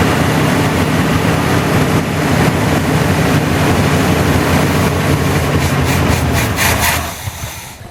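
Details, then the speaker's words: 1981 GM square body truck sitting in a field 25 years, start attempt with choke blocked open and weak battery: loud rough V8 runs about seven seconds then dies; owner suspects a stuck carburetor float. "I would say we've got a stuck float."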